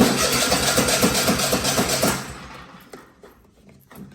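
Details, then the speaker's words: Cub Cadet XT1 Enduro (LT46/42) riding mower, first start after a battery replacement with an EverStart U1R-7 rated at 230 cold cranking amps. A quick crank, then the small engine catches and runs at an even, choppy beat. It starts cleanly. "Now, crank it up. And make sure it starts up."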